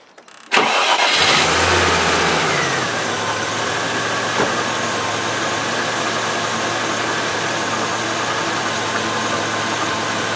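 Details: Range Rover after fuel pump repair, cold: cranks briefly, catches at once, settles into smooth steady idle running a bit high while cold, no misfire; injectors previously blocked now seem fine.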